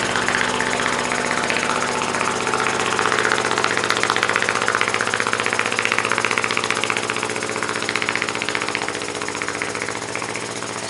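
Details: Muncaster table steam engine on a 3-inch firetube boiler: fast, even chuffing of nearly four beats a second, steady with no knocks or stumbles; runs smoothly at high speed.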